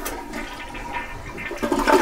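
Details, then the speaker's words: Toilet flush after reinserting the fill valve tube into the flush valve: smooth rush of water with no gurgling, bowl refilling higher, louder swirl at the end. "when you flush the toilet it will fill up the bowl the water level is higher and when you flush the toilet you won't get that gurgling"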